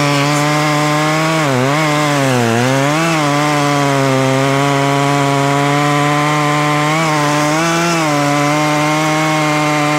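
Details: Poulan Pro two-stroke chainsaw, owned about 12 years, after seasonal clean-up: high scream dips and recovers in pitch as the chain bites into the log, no stumbling, popping the owner likes; normal cutting under load.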